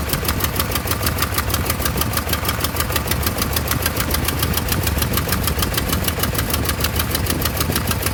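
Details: 1988 Toyota Pickup 22R with Aisin carburetor after head gasket replacement: fast steady ticking over uneven, lumpy idle that never settles; rough idle, cause not pinned down.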